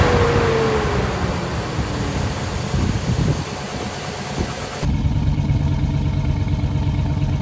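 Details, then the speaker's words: GM V8 idling roughly with check engine light on and P0300 random misfire code: uneven stumbling rumble, irregular thumps, sputtering exhaust; old spark plugs suspected, clicking in background. "the check engine light is obviously on and I'm hoping it came through clearly in the video what I was experiencing here in person but the engine was running rough"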